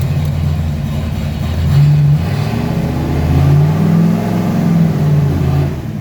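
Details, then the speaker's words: 1995 Ford Mustang, newly swapped C4 3-speed automatic, run through reverse, first, second, third and back down after freeing a stuck e-brake, no radiator fans: engine pulls smoothly with clean pitch steps, no slipping flare or clunk; shifting normally. "Reverse. Now reverse. We're in first. First, second, third, second, first,"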